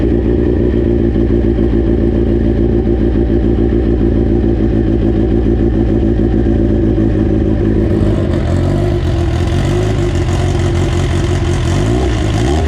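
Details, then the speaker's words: AWD EG turbo build first start on a borrowed 2000cc-injector tune: smooth steady idle, crisp blip around eight seconds, returns evenly; good oil pressure, runs healthy and peppy, up-pipe and wastegate dump tube still unfinished. "it seems to run pretty good it's got good oil pressure uh it sounds really really healthy uh really peppy revs up really really nice"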